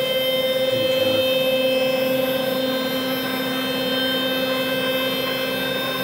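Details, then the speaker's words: Saturn 2 4x4 CNC machine after being secured to a wood platform: steady motor whine with thin tones as the gantry travels, and the earlier racket is gone. A rubbing sound like paint on metal is still heard when it stops. "not too bad I used to hear especially in this area right about here lots of practice Parker"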